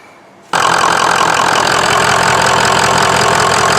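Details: 2003 Ford F-350 with 6.0 Power Stroke diesel, previously damaged by an undisclosed engine fire, running again after a no-crank repair: it catches after a brief pause and settles into a loud, uneven, lumpy run with a ragged beat. Rough running.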